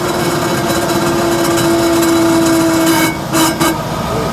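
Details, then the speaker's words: Car with worn rear differential after sawdust added to the gear oil, driving: steady mid-pitched whine persists on lift-off, possibly louder, plus a new faint rustle; differential whine. "на сброс всё равно так же смотрите А мне кажется он ещё сильнее шуметь стал да"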